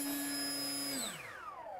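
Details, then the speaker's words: Foam flyer RC plane's brushless motor at full throttle, plane released and pulling itself forward, after speed controller arming beeps; clean steady high whine sliding smoothly down as it spools off; normal, strong motor run. "and as you can see it pulled the plane right off there i didn't hold the plane when i did that i just let it take off on its own um so there's plenty of power to go vertical and pull that plane"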